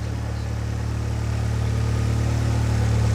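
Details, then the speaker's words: Freshly built Barum Cosworth engine in the workshop after warranty repair (pulleys checked): steady, smooth idle with an even low drone and no tapping; the earlier tapping is gone and the pulleys run true. "So no tapping or anything anymore. I think that was the problem with it before. Yeah. It was tapping. And those pulleys are running dead true now."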